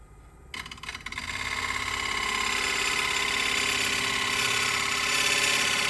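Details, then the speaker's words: Wood lathe turning a punky spalted oak bowl: spins up to a steady whine with a fast, even rattle; chatter persisted all through the bowl, traced to the wood screw chuck and gone when a screw plate was used instead. "So I did have that chatter throughout the entire bowl. After some more playing and experimenting, that's how I determined it was, in fact, the screw that was giving me all the problems."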